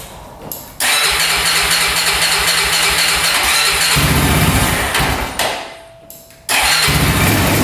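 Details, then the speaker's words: 2004 Honda 400EX quad that bogs badly, after carb clean and valve adjustment: cranks briefly, catches, then runs a choppy pulsing idle on choke that sags and picks up; hard starting, won't rev off choke; stator and coil tests planned, cause not found. "So, right off the bat, it has trouble starting. So, that's not good."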